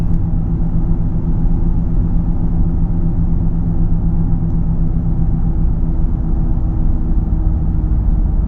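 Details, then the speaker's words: 2012 Ford Fusion SEL in the cabin at about 50-55 mph: a deep, steady drone under the road rumble with no knocking, getting louder with speed, possibly with slight vibration; new balanced tires, alignment fine, source unknown; speed-dependent humming noise. "It gets louder at 50, 55, and I think there might be a little bit of a vibration."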